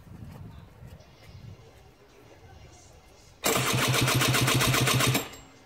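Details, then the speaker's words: Trike engine first start attempt: fast, even cranking under two seconds with no firing; not pulling fuel, suspected. "Fuel coming through? Not pulling fuel."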